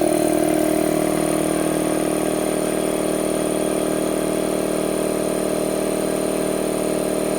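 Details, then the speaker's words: Harbor Freight 2 hp 29-gallon air compressor fitted with an added air filter and a foam-mounted cooler/air dryer. Steady, even pump drone with a smooth pulse about three times a second and no knocks: pretty quiet, normal running. "I'll turn it on for you. It's pretty darn quiet."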